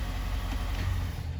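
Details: 2024 Ford F-250 Super Duty 6.7 L diesel, first brief run after oil and fuel filter change: deep, steady rumble with even idle and no knocks or misses; healthy.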